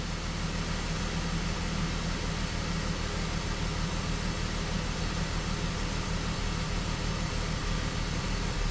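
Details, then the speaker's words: BMW X5 at idle after earlier misfire repairs, no code stored: steady low idle with an uneven stumbling pulse that comes and goes; intermittent misfire returning after briefly disappearing. "it's coming back again it was gone for a second yeah it's misfiring again"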